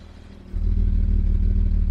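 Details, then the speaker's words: 1975 Jaguar XJ6 losing coolant into cylinder 2, idling after K-Seal head gasket sealer added, coolant gauge just starting to rise on a hot day: low steady even idle, no stumbles or misfires, running smoothly. "It's running very nicely. No misfires, nothing, just running nicely."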